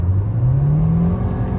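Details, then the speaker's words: 2013 Nissan Altima CVT, after a fix for slipping, surging and whining: accelerating hard at 60 mph on the road, the engine note climbs smoothly with no whine or droning and the transmission pulls cleanly; normal CVT acceleration. "so this road is 60 miles an hour and as you can see no more winding noise even though i really hit it kind of hard uh and uh it's doing just fine"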